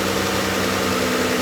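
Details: 2012 Chrysler Town & Country, 186,000 miles, sat for years in a field, first start after a new AC compressor, main belt and transmission shift solenoid pack plus fluid and filter: a smooth, even idle hum with no knocks, ticks or belt squeal; normal idle.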